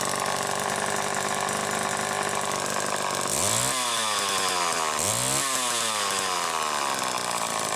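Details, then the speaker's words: Late-1960s Homelite EZ chainsaw (2.1 cu in, manual oiler) test run after repair, warm and without choke on 50:1 mix: it starts crisply, revs cleanly twice and drops to a steady, even idle. No misfire or bogging. "now it's ready to go and we're going to do a test run so you can hear it"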